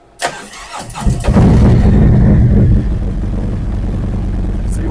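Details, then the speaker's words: 2023 Harley-Davidson Street Glide ST Stage 2 (CR483 cam, Bassani header, ThunderMax) started at about 84–86° for third idle-tune runup: short crank, quick catch and brief flare, then steady even V-twin idle; normal start and idle. "So, we're going to go ahead and do another runup and uh we'll watch this and see if it makes any changes."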